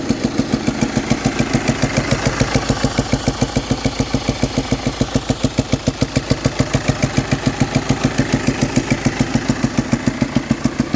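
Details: VW Passat at idle: sharp, very even ticking about three and a half per second from the top end; worn camshaft followers, fixed with four new ones.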